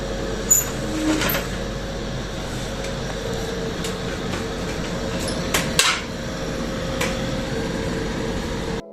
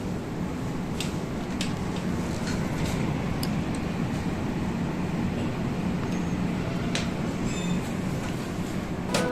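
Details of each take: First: Split AC indoor unit fan running: steady, rough whirring hum with a droning tone; extra noise from the indoor fan motor, which requires removing the fan motor. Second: AC indoor unit after fan motor removed and repaired instead of replaced, covers refitted: steady, even airflow rush with soft low hum, smooth with no rattle or grinding.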